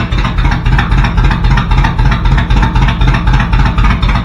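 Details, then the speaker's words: 1986 Chevy Suburban with new exhaust and temporary bullet mufflers, band clamps, no turndowns yet: deep, loud throbbing V8 idle with pronounced lumpy pulse and little muffling; too loud, different mufflers needed. "all right guys it's pretty loud so we're going to have to use different muslers sounds"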